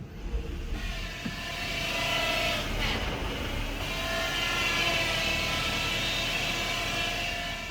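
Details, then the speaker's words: 2013 Ford C-Max hybrid, 125,000 miles, HF35 transmission: raspy buzz-saw whine only when the gas engine runs, rising when pushed; failing transmission stator bearing, transmission being replaced. "get that buzz saw. And it'll come on and off only when the gas engine's running. And then it will get higher if you push. And that is the transmission stator bearing going bad."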